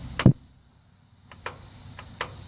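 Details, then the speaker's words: Ford tractor with a bad starter solenoid: three sharp single clicks with no cranking or engine sound, the solenoid clicking without making contact, before it is bypassed with a jumper cable straight to the starter. "It's clicking, but it's not making contact to start the tractor."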